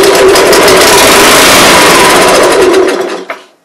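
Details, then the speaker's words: Honda Harmony 215 SX mower that sat outside for years and won't start, starting fluid sprayed into the carburetor throat at full throttle: loud, buzzy run for about three seconds, then dies; engine fires briefly, motor good, carb needs cleaning. "okay so that means that we have a good motor"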